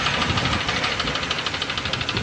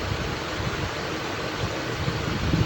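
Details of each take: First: Honda engine at idle: sharp, steady, deep metallic knocking about ten times a second, from a bent connecting rod; the engine inside shows heavy dust and carbon. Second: Honda engine after repair of a deep connecting-rod knock. The engine is started and gives a smooth, even low hum with no knock or tapping: a normal, healthy idle.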